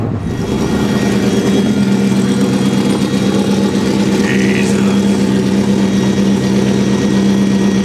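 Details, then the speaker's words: 800hp 1931 Ford race truck with dealer-sold engine, good compression but timing in doubt: loud V8 with uneven, lumpy pulse and drone, not running right yet; cause unresolved. "You'll hear here in a few moments that it's not running quite right yet, and I'll tell you why, but we've got to get those kinks worked out before we can actually strap it down and make some high power pulls."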